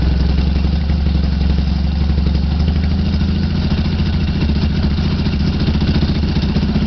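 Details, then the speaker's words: 1976-or-later Yamaha XS650 twin: a lumpy, loud idle that rises and sags over several seconds. This happens as the sync screw between the linked carburettors is adjusted with a DIY 90-degree screwdriver. Idle speed fluctuates during synchronization. "The linked carbs have a sync screw located between them, which is difficult to reach. I am going to start the bike and you will hear the RPMs change as I manipulate that screw."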